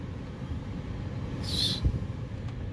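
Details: 2007 Mustang GT at idle after replacing the defrost/AC blend door actuator: steady hum, brief rush of air and one click on mode change, no more knocking.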